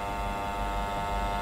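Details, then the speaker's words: Fan motor at low speed on an electronic fan speed controller: steady electrical buzz and hum that disappears when the speed is increased. A transformer controller runs the same fan silently. "When I increase the speed, the humming and buzzing is gone."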